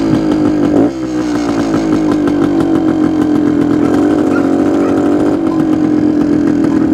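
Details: 1972 Suzuki TS250 two-stroke, with the 170 jet left in for a fuel delivery problem: crisp steady idle with a couple of clean throttle blips that rise and settle quickly; sounds more responsive.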